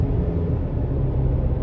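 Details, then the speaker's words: 2023 Chevy Colorado Trail Boss on new 33-inch aggressive off-road tires (up from 32), driving slowly at night: low, steady road rumble and hum from tread, no rhythmic thump or whine; noticeable but normal, truck-like tire hum. "but but it's not bad it's not too bad um it sounds like a truck right it sounds like you're riding in a truck"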